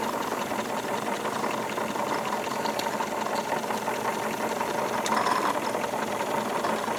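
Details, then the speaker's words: Wilesco D22 double-acting model steam engine at about 14 PSI boiler pressure, well within the safe range, with correct water level and a steady fire. Fast, even chuff with light mechanical patter, no knocks or uneven beats: smooth normal running. "it's very very nice operation"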